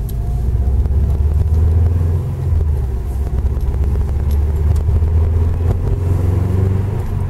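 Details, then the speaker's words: Subaru Impreza WRX, 5-speed gearbox, driving after centre diff bearings replaced and shafts shimmed: only steady low road and engine rumble, no whine rising with speed; quiet, healthy drivetrain. "Complete silence. Bit of a pain in the neck to shim the shafts, but when you get there it's alright."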